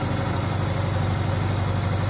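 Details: 2004 Subaru Impreza engine, first run in months after reassembly with a JB Weld-repaired stud: steady, even low rumble at idle with no knocks, stumbles or ticks. Engine sounds healthy and smooth.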